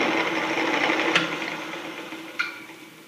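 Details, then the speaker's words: Delta 28-303 wood/metal bandsaw under restoration, test run after rewiring and refitting the cover: a smooth, even motor hum with no grinding or knocking, fading steadily as it coasts down. The motor runs fine. "Let's plug this in. Give it a test run. Pretty good."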